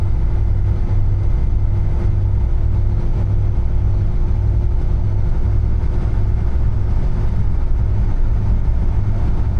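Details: Niva test drive on the highway after gearbox repair (some gears replaced, 2.5 L 80-90 oil added) at 92,351 km: smooth, steady road rumble, no whine, grinding or clunks; gearbox healthy, front propshaft still needs replacing or repair.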